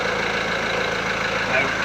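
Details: VW Transporter T4 1.9 TD after replacing worn cam followers, air box and timing belt cover refitted: even, steady diesel idle with smooth low beat and no top-end rattle; engine healthy, rattle cured.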